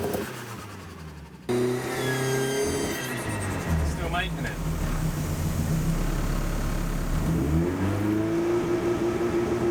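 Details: K20 turbo Ford Escort with new ECU, checking boost leak buzz on launch control: engine revs up cleanly, pitch climbing smoothly with no buzz or rasp under boost; normal turbo boost.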